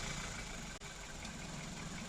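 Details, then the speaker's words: 2014 SEAT that cranked but wouldn't start, earlier misfiring when warm. After correcting the reversed fuel pump hoses it starts and holds a steady, smooth, even low idle with no knocks or misses; the ECU and injectors are fine. "طبيعي، ما في اي مشكلة معانا، معناته الكمبيوتر سليم."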